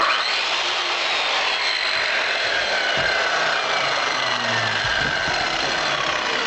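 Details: Circular saw running on a pure sine wave inverter, after struggling to start on a modified sine wave inverter: even, high-pitched motor whir at steady speed without buzzing or stuttering; runs properly.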